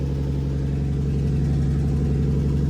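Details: BMW E46 M3 with swapped 2JZ non-VVTi built engine, after fixing a kinked line (owner had feared unseated rings): even, steady engine note with a constant low pulse, no hiss, stumble or knock; runs healthy and stable.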